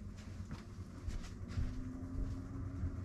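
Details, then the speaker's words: Webasto Thermo Pro 90 diesel heating system aboard a Garcia Exploration 45 sailing yacht; the distributed fan units are switched on and a soft hum fades in and firms to a steady pitch as the fans come up to speed normally. "here it says wabasto fans bump so listen carefully and you'll hear the fans slowly"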